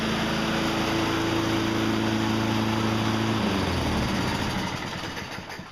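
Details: Toro electric-start push mower, model 20074, that cranked but had no spark, after freeing the kill bracket for full range of motion: steady even drone for about three seconds, then shut off and winds down cleanly; running normally.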